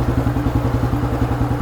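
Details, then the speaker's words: Fully restored 1976 Royal Enfield Bullet, black, with Punjabi-style silencer, idling: deep, heavy, even bass thumps at roughly eight a second, steady and unbroken. Healthy single with loud free-flowing exhaust. "இந்த Punjab silencer போட்டாலே நல்லா thumb, நல்ல base நல்லா ஹெவியாக இருக்குது வெஹிக்கிளில்."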